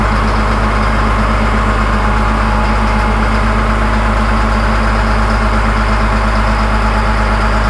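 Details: Ex-USMC Cat 563D vibratory roller compactor diesel, 25 original hours, started after fuel filter change and bleeding during full service: deep, steady rumble with even low beat and no misses or knocks, idling smoothly.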